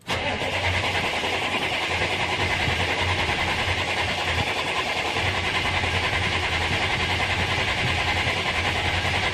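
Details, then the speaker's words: Old GM diesel truck being revived, started after a couple minutes of glow plugs on a warm day; catches straight away with loud even clatter. "all right well it took about a couple minutes for the glow plugs to work but we're gonna see if we she can't"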